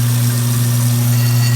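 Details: Garbage disposal after unjamming with an Allen wrench in its bottom center port: a steady, even low hum with no catches, knocks or grinding; the motor spins freely and runs normally.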